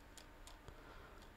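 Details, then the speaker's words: Sony NX5 camcorder after preventive repair of lens vibration, running on battery once reassembled: quiet room with a few soft, crisp mechanical ticks as the manual iris and ND filter step, clean and even; focus working, normal operation. "olha só até aqui o áudio batendo o foco funcionando funcionando um o manual Íris funcionando"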